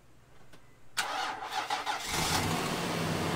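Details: Insurance-auction Nissan Armada, front-end collision total, sat over a year, started with a jump box: a click, about a second of cranking, then it catches promptly into a steady, even idle; healthy start.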